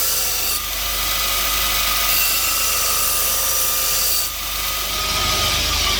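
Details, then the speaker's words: Bench grinder fitted with a linisher belt attachment, 80 grit belt, final clean-up of a flat-cut metal piece: even, steady rasping hiss of belt on metal with a faint constant tone, no catching or chatter; normal linisher belt sanding. "So I want to check out what the belt's going to be like and give it a final clean up. Let's give it a go."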